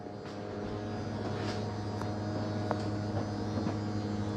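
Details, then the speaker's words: 2022 Bighorn 37DB fifth wheel, bedroom slide-out retracting via slide-in button: low steady electric hum, even pitch, no grinding or clunks; normal smooth retraction. "now I'm going to start with my bedroom side up here and just hit slide in"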